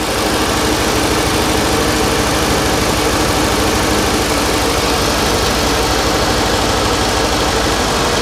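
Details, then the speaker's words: 1989 Winnebago LeSharo petrol engine idling steadily with an even slow beat, vacuum leak hiss gone; idle possibly set too low via the idle bypass valve. "definitely don't hear that vacuum leak anymore but I might need to play with the uh the idle cuz I did Jack with it I might have turned it down too much"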